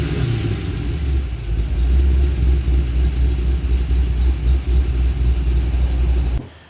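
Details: VE with LS3 and M6 manual, Chopper Reid camshaft, CNC heads, VCM off, tuned: deep, steady loping idle with an uneven chop about four times a second; normal lumpy cam idle.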